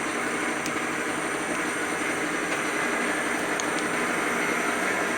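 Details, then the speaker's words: 1940s horizontal milling machine driven by a treadmill motor replacing the original three-phase motor, Y-axis power feed engaged: steady even whir with faint regular gear ticking, no grinding or knocks; feed running normally. "now if I want to move the y-axis I have to push this over time to do this with one hand"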